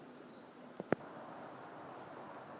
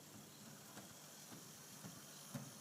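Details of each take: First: Proto 2000 GP7 model diesel locomotive after repairing its faulty axles and a seized, binding drive, test run pulling a proper load: soft, even motor hum with steady gear whir, no knocks, stalls or surges; normal running under load. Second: Proto 2000 diesel model locomotive running on track, soft regular thump about twice a second over faint motor whir, not track joints but a split gear on a driving axle; recorded on iPad microphone.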